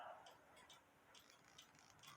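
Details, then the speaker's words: Cuckoo clock music box governor spun by an alarm-clock plastic wheel: quiet, quick, regular light ticks or clicks, a few per second, as the governor turns; cause unknown. "the plastic wheel does spend the governor I don't know if you could hear it but in my hands there's a um like a ticking"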